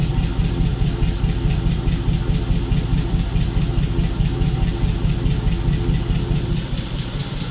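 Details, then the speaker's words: ZIL truck V8 at idle with the fuel return line pinched, radiator still cold: regular dull knock about 143 times a minute; owner suspects a hydraulic lifter or oil needing change, unconfirmed. "Ну какой-то стук есть в НМ нехороший такой возможно какой-то компенсатор может"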